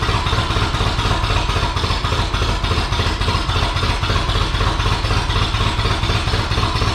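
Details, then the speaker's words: Ferguson TEA 2085 tractor, thought to be a 1951, just after new plugs, points, condenser, wires, cap and rotor; uneven clattering beat about four per second with ragged popping and backfire; owners suspect ignition connected wrong; rough running. "thank you that's weird it doesn't sound like it's getting it's everywhere [Applause] [Music] that like backfire it's like we have it wrong now"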